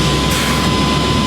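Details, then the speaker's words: 1997 GMC Sierra 3500 pickup, previously dead from a failed fuel pump, after the pump was replaced: turned over a couple times and fired right up, then a loud, steady engine roar with no stumble. Normal running after start. "Turned over like a couple times and fired right up."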